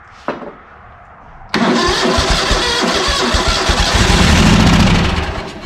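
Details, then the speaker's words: ZT200 mower on its own fuel at half choke: cranks, then catches and runs unevenly, surging and sagging, with a backfire; owner suspects carb issues or a shot fuel solenoid. "pulled a bunch of fuel through that time there's a backfire let's yeah i might just have carb issues"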